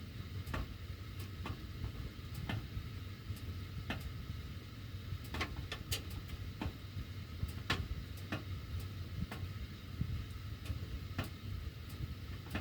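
Irregular sharp ticks, roughly one or two a second, over a steady low blower rumble: ductwork ticking while the heat runs, cause unknown.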